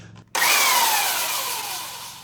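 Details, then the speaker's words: Belt sander with new stainless steel platen, belt on, dust bag off, running unloaded: motor spins up to smooth steady hiss and whir, no knocks, ticks or rubbing; sander runs healthy. "Looks good. Sounds good, runs good."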